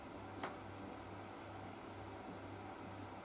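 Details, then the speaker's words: BMW R1150GS on centre stand, rear wheel lifted by winch and rocked by hand: two soft isolated knocks over room hum from play in the final drive bearings. "perhaps you already can hear it that knocking sound but we're gonna I'm gonna get you closer"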